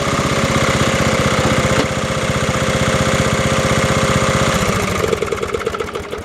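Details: Snapper 30083 rear-engine rider, refurbished in 2026 after 20–25 years abandoned: a single-cylinder engine thumping steadily at about three beats a second, then settling as throttle drops. It runs smooth and healthy and drives again.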